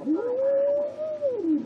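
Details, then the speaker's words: Philco 077 RF signal generator during restoration alignment, tweaking the B-scale coil: a clean heterodyne whistle glides up, holds a steady tone, then falls away as tuning crosses a radio station carrier. "I gotta get in there and make sure I get the right coil and tweak it until we don't hear the radio station anymore"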